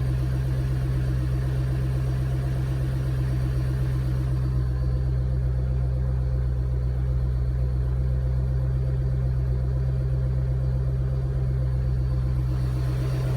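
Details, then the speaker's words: Mustang V8 at idle during final datalogs after final tune revision, temperature rising, fuel trims good: deep even burble with steady low pulse, no popping, pinging or stumble; no fueling or detonation issue. "okay exhaust sounds good i don't hear any fueling issue or detonation issue so that's plus one"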